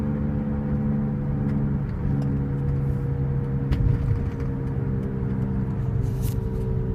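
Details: 2005 Cadillac SRX 3.6 V6 cruising: steady low even-pitched drone under road noise; owner attributes it to wheel bearing noise, corner unknown; humming noise while driving.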